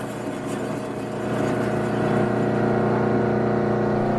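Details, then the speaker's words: Rotary 3-phase converter powering a refurbished 208 V 3-phase Hobart 5801 meat and bone band saw: smooth constant electrical hum that swells slightly, then holds an even pitch, no rattle or growl; healthy. "It is 208 volt 3-phase, so we have it plugged into our 3-phase converter. You're going to hear that humming in a minute."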